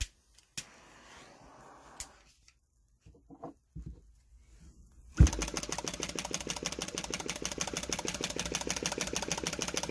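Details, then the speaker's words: Flame licker engine "Nick" with taper-bored flywheels: after quiet handling, quick even popping from the ball valve starts and holds steady; normal running. "so you can hear the popping from that valve the ball valve"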